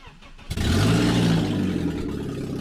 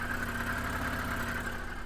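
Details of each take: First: BMW E46 started and revved with no exhaust system fitted: raw, deep, booming unmuffled roar, harsh throughout; loud exhaust noise, exhaust to be installed. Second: BMW E46 idling in neutral on jack stands just after a new exhaust was installed (previously sounded like a tractor): low, steady purr, no ticking or blowing, much quieter, exhaust gases now exiting the back; normal idle.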